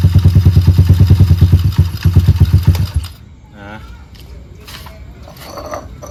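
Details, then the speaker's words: Honda Monkey-style Stallions minibike on its original Wave125 carburetor, before fitting a Dash carb: single cylinder thumps at an even, fairly quick idle about three seconds then shuts off; sounds healthy. "ก็ประมาณนี้ครับสำหรับคาบูWave125นะจริงๆรถอ่ะมันไม่ได้มีปัญหาอะไรนะครับนะสตาร์ทติดเบาอยู่อ่าสามารถขับได้ปกติติเลยนะครับ"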